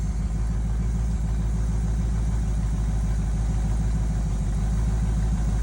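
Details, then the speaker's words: 1971 Chevy C10 V8, just started after sitting since about 2013, new spark plugs: steady even low idle burble with no knocks or misses, running on its own; sounds really good. "She's idling. I think she's run on her own. Let's let her run for a few seconds. Well, she actually sounds really good. She actually sounds pretty good."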